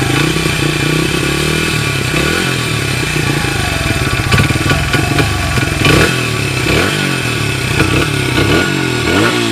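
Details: 1994 Honda XR100R single after a carburetor rebuild, warmed up and nearly out of gas: pulls evenly, blips up and settles back cleanly with no misses or popping, no smoke. It runs healthy.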